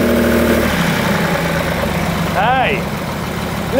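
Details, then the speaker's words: 1971 Lamborghini Espada Series II V12 barn find, first run after revival: steady even idle with soft settled rumble, no knocks or misses; surprisingly quiet and placid, a few earlier pops and bangs. "so quiet and happy the sweet little Italian kitten that is amazing sweet is it really really nice wow I wasn't expecting it to be quite this Placid"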